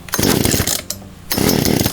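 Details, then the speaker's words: Poulan chainsaw two-stroke after a Zama carburetor rebuild, cold start after six primer-bulb pumps on full choke, before low/high/idle tuning. Ragged firing bursts catch, drop out for half a second, then resume. Normal sputter before moving the choke to its middle setting. "we hear it sputter a little bit then we're gonna push that joke in into the middle setting"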